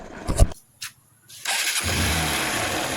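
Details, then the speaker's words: Xtreme Samrat motorcycle after timing chain replacement; settles into a steady, even, sweet idle with no chain rattle or ticking, healthy compared with the worn-chain noise before. "মানে timing chain change করার পরে এই আওয়াজটা মিষ্টি হয়, সেটাই আওয়াজ এটা শুনতে পাচ্ছেন।"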